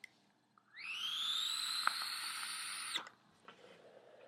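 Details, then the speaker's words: Kanger Subtank vape tank after about 2 weeks of use, drawing on one air hole: a thin high whistle rises as the draw starts, holds about two seconds, then cuts off sharply. "you can hear the whistle. Well, I hope you can hear the whistle anyway. That's one air hole. Now if I knock it over to 3, listen to the noise. It's like I'm sucking through a straw. It's very, very loud."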